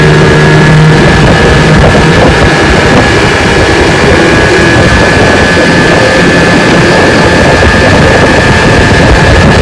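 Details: Restored 1985 Johnson 6 hp outboard (J6RCOB) on lake test run under load; loud steady two-stroke buzz at even pitch, wind over mic, running smoothly.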